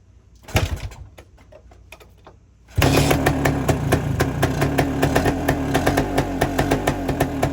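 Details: 1973 Suzuki TS250 Savage two-stroke single, barn find revived after 25 years sitting, running on auxiliary tank: kick start, catches into steady, even burble with crisp exhaust pop, oil line pumping properly; normal two-stroke idle.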